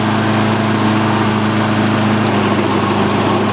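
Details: Customer's Lawn-Boy AWD mower after replacing both handle brackets, outdoors in cold windy ~32°F weather: small single-cylinder engine holds smooth even hum at steady pitch, no knocks or rattles; healthy running, drive working.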